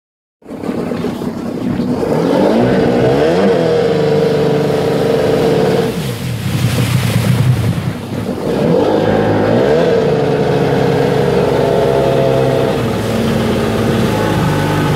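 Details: Sea-Doo XP two-stroke watercraft engine running rough with rpm surging and sagging, uneven stumbling misfire; attributed to a bad voltage regulator letting 17 volts reach the ignition.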